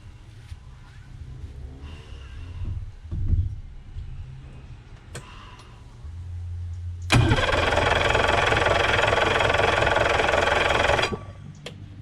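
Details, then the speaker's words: Yamaha 115hp two-stroke outboard compression test: faint clicks, then about four seconds of even cranking with no start. This cylinder reads 100 psi against a 65 psi manual minimum, somewhat loose but still usable for a while. "สูบนี้เหลือ100นะก็100ก็ยังน่าจะพอใช้งานได้อีกสักพักหนึ่งนะครับ"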